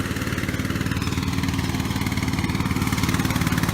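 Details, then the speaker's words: Donated ride-on lawn mower, new battery fitted, throttle set to the rabbit: slow, somewhat uneven thumping about four beats a second with no pickup; runs sluggish, possibly because a black part is missing, not confirmed. "it is kind of sluggish I don't we're missing one part on it some kind of black fang on it but we don't know where it goes"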